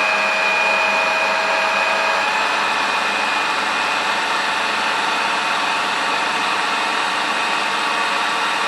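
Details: Pontiac Fiero alternator after rebuild, its cooling fan having self-destructed during a race, tested with a warning lamp and a 12.18 V battery: even, smooth whir with a faint steady high whine and no grinding or rattle; it spins freely and sounds healthy.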